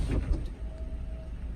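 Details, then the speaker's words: Peugeot 308 CC with an intermittent roof signal fault: low rumble, then a faint steady roof motor hum that cuts out abruptly after under a second. The windows start down and the roof stops mid-cycle with the switch held and no error shown. "it starts the process, but then it just stops. As you can see, the windows start to come down, and then I still have my finger up here, but there's nothing."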